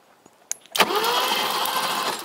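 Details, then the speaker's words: 1980s BMW 6-Series E24 CSi manual coupe, parked since 2001, cranked with the plugs out after the starter solenoid was tapped free; a sharp tap, then an even, unbinding whirr as the engine turns freely, not seized, with strong spark. "okay that was free okay you've got a serious spark I can hear it"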